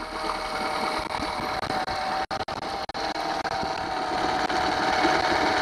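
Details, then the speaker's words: Honda 8 hp four-stroke outboard after water pump impeller replacement, water pipe now connected to the lower unit: busy buzzing rattle rising as the throttle is pushed, running cleanly. Some gas accumulating near the motor, normal running. "this is the throttle if I push this thing fold then it speed up as you can hear the throttle here"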